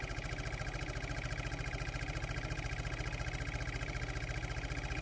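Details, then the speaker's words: 2007 Audi A8 air-suspension compressor, run directly from a bench power supply while diagnosing fault code 01400: rapid, even pulsing of about 3.5 strokes a second over a steady motor hum. Normal compressor running. "so I'm going to put uh voltage on the wires for the pump you're going to hear the pump running okay"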